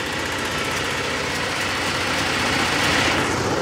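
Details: Generator on a 1986 Fleetwood Bounder motorhome, started through microwave diodes that drop voltage about 3–4 volts; steady, even drone at constant speed, about four beats a second, no hunting or knocking; running normally.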